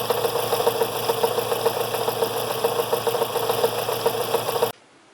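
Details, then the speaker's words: Fiat Brava 1.6 16-valve running with a fast, light, uneven ticking and buzzing rattle. After timing belt service the tensioner was left out of position and over-tight; the noise is to be fixed by resetting the tensioner. "é que ele pensou ficar fora do ponto serve de lição barulho barulho chato lá é o leandro gravou um vídeo para mostrar pra mim por aí pra vocês verem"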